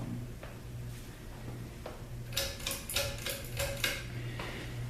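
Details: 1993 Hampton Bay Landmark ceiling fan on a garage test mount, blades slightly unbalanced with a tiny wobble: irregular light ticking rattle, a few sharp clicks close together over a soft hum; rattle source unclear.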